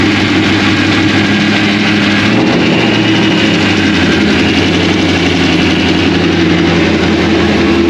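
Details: 2001 Trans Am WS6, 500hp LS1, first start since engine-dyno break-in, untuned with stock injectors and mass airflow sensor, GoPro audio: a loud, lumpy V8 idle with a choppy cam lope and steady rhythm. The engine runs fine.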